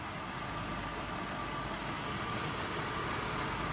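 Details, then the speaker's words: Copart auction car, jump-started with a booster pack showing about 14 V. Steady, even idle with a smooth hum and no knocks or misses: it runs fairly well. "now I know that runs and runs fairly well"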